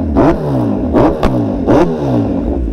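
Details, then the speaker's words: Kawasaki Z900RS with newly fitted full Leo Vince exhaust system, ECU not yet flashed, on the road: three throttle blips with raspy burbling gurgle at low revs; suspected fuelling needing a tune or flash, unconfirmed. "That sound like it's gurgling a little on the low end, but yeah, we'll get it tuned."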